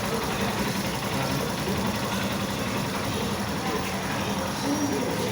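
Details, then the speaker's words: Cross 150 motorcycle after new cylinder and clutch bearing, with head noise cured by removing the decompressor lever from the camshaft: smooth, even, quiet running with no top-end ticking or clatter. Normal engine running. "Silencioso. Então o barulho era só isso."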